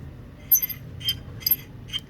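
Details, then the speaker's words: Ceiling fan motor body with its shaft turned by hand; it does not move smoothly. Sharp metallic clinks and scrapes about two a second. Dry bearing noise. "Most Problems are due to the bearing When their bearings are dry they creat noise."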